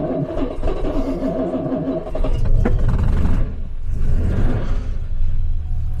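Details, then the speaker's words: 1966 Jaguar S-type six-cylinder cold start after sitting outside overnight near freezing, on choke with a little throttle: catches and settles into a deep, steady, slightly raised even idle; normal cold start. "gave it a little bit of throttle right there and it's on choke I mean this was quite cold probably cold and it will usually have think its garage kept but still I think that wasn't really bad at all we have a nice even idle"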